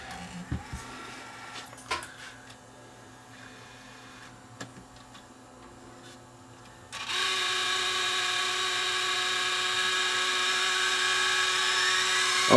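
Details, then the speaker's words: Sony DSR-11 DVCAM deck after repair, loading fixed and lights working, front cover off: quiet loading clicks then loud steady high whine rising slightly in rewind; owner thinks it's the capstan motor bearing, left unfixed. "that's a little better still out I think that's the caps and motor [Music] bearing"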